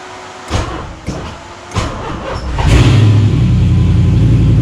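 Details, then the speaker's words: 1986 Mazda RX-7 FC with swapped LM7 5.3L LS V8, tuned OEM PCM, after rewiring: three quick starter cranks, then catches at once into a deep, steady rumble with no misses; clean, healthy start. "Woo! That worked good. What? Too loud? Dang, that worked really good. Yeah. Almost too good."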